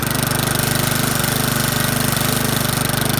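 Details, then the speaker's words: Craftsman 21-inch mower with a Briggs & Stratton 550 series single-cylinder engine, rescued from the trash, run without a blade or throttle control: uneven, lumpy pulsing with smoke after being on its side, possibly flooded; it runs rough, cause unclear. "You know, it doesn't sound the best in the world. And it's definitely smoking because we had it on its side and stuff."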